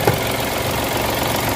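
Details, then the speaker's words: Mitsubishi Mirage with throttle delay and low power on climbs, engine cold, no AC, before Hado engine treatment and oil: low, lumpy, shaking idle with faint knocking, not holding a stable idle; rough idle. "Ayan. So nanginginig ang problema, medyo ano talaga siya, talagang hindi stable yung andar, yung idling ng"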